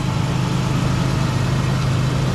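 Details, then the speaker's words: Toyota Tacoma after replacing a cracked flexplate that caused an intermittent ticking: steady, quiet idle with an even low rumble and no ticking or knocking; engine sounds healthy, tick fixed. "That is a beautiful sound. Nothing. Thank you, sir. No problem. Fix the tick."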